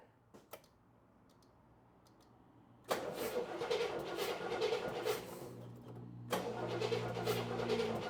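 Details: Engine with a long-running backfiring issue, first start after installing a new distributor: brief crank, catches at about three seconds into an uneven, lumpy, wavering idle; timing found a little off.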